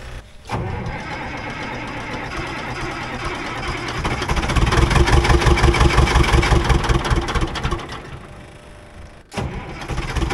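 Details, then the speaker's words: Old budget diesel excavator after draining both fuel filters: cranks, catches, then steady clatter rising and falling smoothly with throttle, no stumbling; fuel issue seems resolved, moving a big stump without bogging. "[Music] so the escavator seems to be running pretty darn good and I think fuel issue seems to be 100% resolved"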